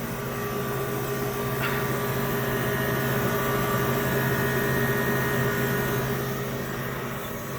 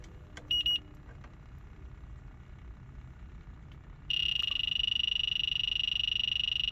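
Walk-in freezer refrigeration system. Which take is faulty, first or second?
second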